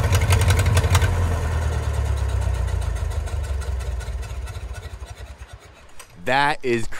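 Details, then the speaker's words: 1934 Allis Chalmers Model M crawler, 300 cubic inch four-cylinder, 85 years old, long unused; loud open-throated low thump from bare exhaust, steady firing slowly settling; runs pretty good without muffler, only the right track clutch apparently not releasing. "guys this machine this is 85 years old still runs still runs pretty good too"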